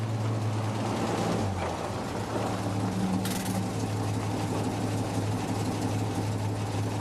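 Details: 1952 REO M-35 truck, REO 331 CI gasoline inline-six, after cylinder head replacement: steady even drone idling noticeably fast with no knocks; carburetor needs adjustment to lower idle.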